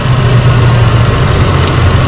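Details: 2005 Holden Rodeo 3.5-litre: heavy low idle with lumpy, shaking beat instead of an even hum; cylinder misfire from a failed ignition coil and worn spark plugs, one coil and six plugs to be replaced.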